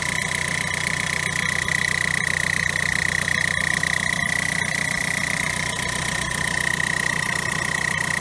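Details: Diesel car with original French turbo, noise began after timing chain change, not from belt: steady high metallic singing note holding pitch over idle; turbo shaft broken inside, rubbing metal on metal.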